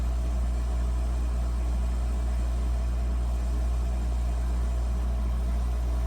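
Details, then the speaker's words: Emerson 5000 BTU air conditioner on an EcoFlow Delta 2 in a skoolie, cool turned up toward max: compressor kicks on, steady low hum, no rattle or knock, about 331 W draw; running smoothly. "All right, let's crank up. Let's put the temperature on max or closer to max. Hear the compressor kick on."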